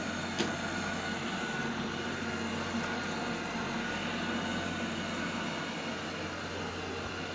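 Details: Eufy RoboVac 30C robot vacuum, bought used because it spun in circles, now charged and running on floor and carpet: steady, even motor whir with light brush rustle, no grinding or clicking; driving and cleaning normally.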